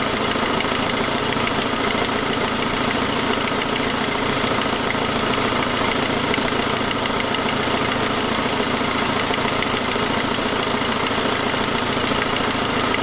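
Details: 2006 Saab 9-5 at idle: fast, even, sharp hissy ticking following engine speed, suspected lifter or exhaust leak; turned out to be exhaust leak from broken forwardmost exhaust stud.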